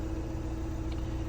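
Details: 2014 2.0 TDI turbo diesel after misfire repair, cause found as deliberately cut wires; smooth even idle, steady low drone, no stumble or shake: normal diesel idle.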